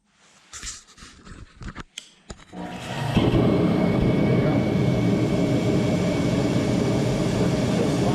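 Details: Torpedo heater after rotor replacement and filter cleaning, previously starting then shutting off without firing: a few quiet clicks, then the burner lights into a steady even roar, no sputter or surging; normal running.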